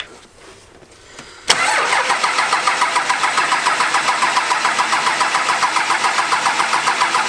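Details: 12-valve Cummins first start after modifications (delivery valves, governor springs, pusher system, 120 hp injectors): brief crank, catches sharply, settles into steady, even diesel clatter at idle, no misses; healthy start.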